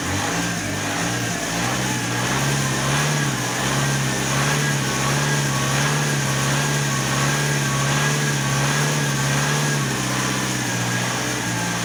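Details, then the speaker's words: Alfa Romeo 156 1.9 JTD common-rail diesel, previously a crank no-start, just restarted after the fuel system was opened: starts well but cannot hold idle, speed fluctuating up and down, strong exhaust smell; idle improves as it warms. "okay it did start very well but the car has no idle and that that has that fluctuation and it smells a lot by the exhaust"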